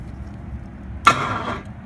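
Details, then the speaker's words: BMW 4.6 engine swap being run on the ground with ignition and fuel pump jumper-wired. The starter wire is jumped, but only a brief half-second buzzing burst sounds and there is no crank, because the battery is dead. "Oh, and the battery's dead. We thought."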